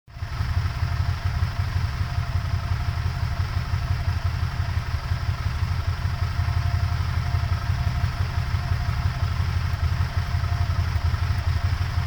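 Low, uneven throbbing idle that pulses irregularly instead of holding smooth; the engine is idling rough, cause not evident.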